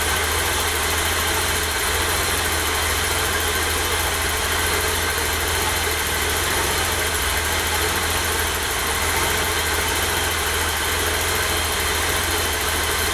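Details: 1988 BMW E32 735iL with rebuilt M30 B35 straight-six, first start after the rebuild (fuel pump primed; original block had 395k): steady, even idle with a smooth low hum, no knocks, misses or whine; normal idle.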